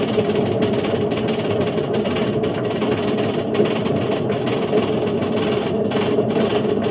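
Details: Indesit IWC71453 7 kg washing machine on a test spin aiming for 1400 rpm: loud steady grinding roar with gritty rumble; drum bearings completely gone, drum eating into the plastic tub; owner suspects heater also cut.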